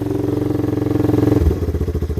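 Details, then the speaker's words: Old Yamaha 225DR after petcock replacement and carb clean, started after tapping the carb float: steady single-cylinder putter dropping smoothly to an even idle, running cleanly; normal running. "yeah so now you can hear she's running all I have to do to get to run was uh tap the float"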